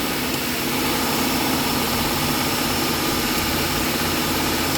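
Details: 2014-15 Hyundai Accent after fixing a no-crank no-start from key switch play, packed with a small tissue piece: engine settles into an even steady idle with no misses or hunting; starts and runs normally.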